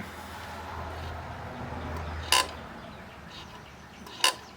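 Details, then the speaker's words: Philco 112K CD/cassette boombox ($2 buy; radio works): CD player gives a faint motor whir broken by two sharp clicks about two seconds apart, laser seemingly stuck and disc possibly not turning; plastic laser sled gear skipping. "sounds like the lasers sounds like the laser is stuck I don't even think it's turning"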